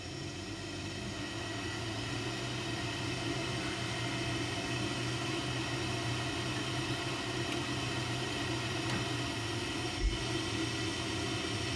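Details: Ideal Mexico HE30 gas boiler (ISAR/ICOS/ESPIRIT family), during DIY repair of LF, H4 and LE error codes: steady, even burner roar with low fan hum, no bangs or rattles; firing normally.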